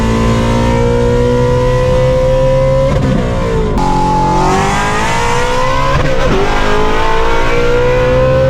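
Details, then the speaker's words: 900 hp Ford Mustang Shelby GT350 (S550) with stock clutch, during hard acceleration: engine note climbs too quickly and flares around shifts into second, third and fourth; stock clutch slipping under load, worn out. "You can hear it slipping in second gear and third gear."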